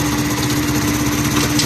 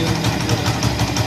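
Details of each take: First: Honda CD 70 motorcycle after repairing worn gear locking dogs that stopped the wheel being driven: small single revs steadily with an even buzz, no knocks or clatter, shifting through 1st to 4th gear; normal running in gear. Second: Honda CD 70 motorcycle in 4th gear: rough, rhythmic thudding about six times a second over the engine, chain not turning and moving up and down, noise stops in neutral; worn sprocket locking splines.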